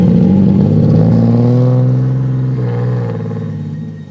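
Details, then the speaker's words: 2009 Nissan 370Z with boost turned up, in second gear at 20 mph under boost: low engine drone stumbles with an irregular clattering beat and uneven pulls, cutting then randomly hitting boost; sounds like a misfire, cause unconfirmed. "but I'm in second gear right now going at 20 miles per hour it sounds like a misfire to me"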